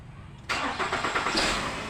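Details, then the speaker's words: Nissan X-Trail T30 restarted after sitting about 3 hours, on the second start: a brief crank, then an even idle without the rattle of the first start; oil has reached the timing-chain tensioner. "Yang kedua kita starter lagi sudah tidak bunyi lagi nah itu berarti untuk olinya sudah naik ke bagian sensor ocp atau rantai ketengnya ya"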